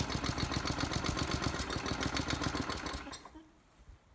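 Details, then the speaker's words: Craftsman lawn mower that would not run, started on fuel injected directly into the carburetor: it fires and chugs unevenly at low speed for about three seconds, then fades and dies. Engine is starving for gas completely. "So that fairly lazy start attempt was burning off the fuel I injected right into the carburetor, which tells me that it's actually starving for gas completely."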